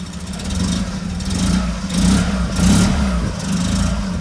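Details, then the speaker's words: Opel Manta rebuild, exhaust in bad shape and needing replacement, no coolant in, smells rich: the idle surges and sags under a loud exhaust rasp; lumpy running, owner suspects ignition timing needing fine tuning. "What do you reckon? I mean, it sounds bad because of the exhaust, but what's the pickup like? I'm more and more convinced that it's timing, it's just fine tuning."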